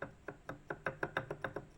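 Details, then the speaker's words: WSK 125 two-stroke engine after about 42,000 km, cylinder removed: rocking the connecting rod gives sharp metallic clacks, about six a second, from a disintegrated big-end needle bearing whose needle got between piston and cylinder. "Łożysko się na dole rozleciało całkiem. Na korbowodzie igiełka wyleciała."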